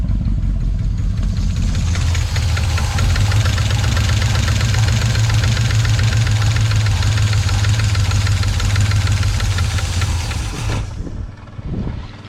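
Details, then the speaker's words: 1980 or 1981 Chevy V8 restarted after sitting about 29–31 years: rough, lumpy idle with a fast clatter about four per second; lifter suspected sunk or off, valve lash loose, vacuum line holes also present. "she's just loose that's all it is so we got about eight cylinders now"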